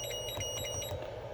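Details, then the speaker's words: Lectron Pro AC/DC Duo LiPo charger set to 3S with a 2S battery connected: quick series of thin high beeps that stops after a second; cell connection error alarm from the cell-count mismatch, charger refuses to charge. "let's charge hold it a cell connection error"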